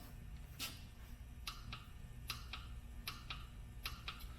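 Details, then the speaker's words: Torque wrench set to 40 ft-lb during an OHC timing belt replacement; sharp paired clicks about once a second over a low room hum as it breaks over cleanly at set torque. "if I go up now to do 40 foot pounds so get this set at 40 we should hear much more of a click on this"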